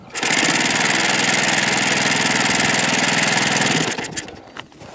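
High, even buzzing run for nearly four seconds, steady firing and no misses, then it cuts cleanly; little four-stroke running properly.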